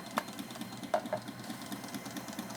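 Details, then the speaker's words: Sailrite Ultrafeed sewing machine with WorkerB Power Pack motor system, set to a fixed speed before any resistance is applied: an even motor hum with quick, regular needle ticking at one steady pace; running normally. "So I'm going to have a fixed speed."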